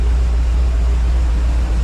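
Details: Car sat about 3 weeks, started first try after two pedal pumps and has idled about 15 minutes with the electric fan running. Low, steady idle rumble holding even without stumbling or surging; normal healthy idle.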